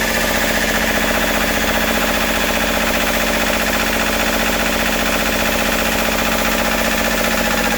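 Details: Westerbeke W13 4.4kW diesel generator, intermittently hard to start, now running after glow plugs were preheated and the glow plug solenoid (high-resistance contacts) was replaced and terminals cleaned: even, steady clatter at constant speed, no misses, running normally. The owner notes wiring could also be involved.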